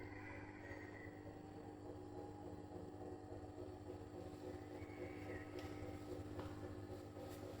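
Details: Brand-new Bosch Serie 4 EcoSilence washer, professionally installed and balanced with transit bolts removed, gives a loud, steady droning hum with a faint whoosh from the drum/spindle. It happens from 400 to 1400 rpm, loaded or empty, while the brushless motor stays quiet.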